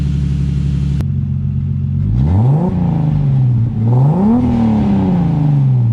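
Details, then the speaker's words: Turbo BMW M52 E30 with a home-fabricated full 3" turbo-back exhaust (Vibrant Ultra Quiet resonator, Street Power muffler), electric fan disconnected. Cranking burst, engine catches, then two clean rev blips with a deep, even exhaust note; normal revving. "So I disconnected the E-fan so it's not always on, so you guys can get a more clear sound of what it sounds like."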